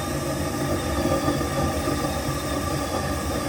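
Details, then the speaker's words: Waste oil heater burner after tank air pressure is turned up: steady, harsh hissing roar with no pulsing or sputter, now smoking more with too much air pressure; burner overdriven. "All right, see how much it's smoking there now? That's because I just turned that air pressure up and I've got too much on it now."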